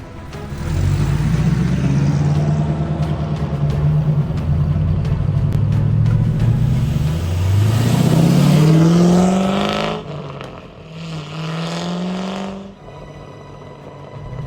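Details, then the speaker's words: C5 Corvette V8 on a road test after a $100 repair including new spark plugs: pulls cleanly through the revs, pitch rising steadily with no stumble or shake; smooth, responsive, normal acceleration. "it's feeling like a completely different car this thing feels so much more responsive than it did so much peier I think we fixed [Applause] it"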